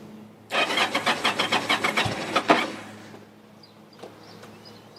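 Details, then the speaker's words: 2007 Yamaha V Star 1100, cold engine, fuel tap set to reserve (possibly low on fuel): starter cranks in a quick irregular rhythm about two seconds, catches briefly and dies back, reluctant to fire; "it's cold-blooded", then it runs; hard cold start. "Come on. It wants to run. [Music] It's cold bloodooded. It runs."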